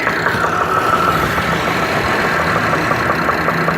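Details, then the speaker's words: Chevrolet Traverse V6 at idle with a loud, steady, rapid knock over the engine note; to be torn down to find the cause. "Alright guys, on today's video, we are playing an engine knock. Hear that thing knocking away?"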